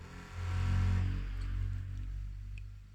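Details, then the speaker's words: Marantz CD-72Mk2SE CD player, tray gear to be replaced: disc spins up fast with a quick rising low hum that settles and fades smoothly, no scraping or ticking; transport motor in good condition, normal disc spin-up. "cepat banget. Oke, ini dalam kondisi bagus"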